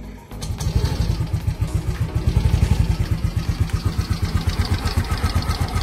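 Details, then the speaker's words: Yamaha Gear 125 scooter, a few months old: idling with coarse uneven rattle about four beats a second from inside the engine; owner complains of rough engine noise, cause not confirmed. "jelas ya ada bunyi ngelegrek di dalam mesinnya jika kalian sudah menonton video ini maka kalian akan tahu penyebabnya"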